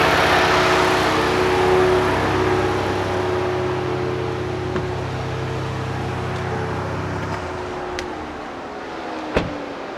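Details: 2025 next-gen Ford Ranger Raptor after installing a Turbosmart Kompact EM Dual Port blow-off valve, plug and play with no tuning: revs drop with a brief airy rush, then the engine settles evenly; blow-off valve venting normally.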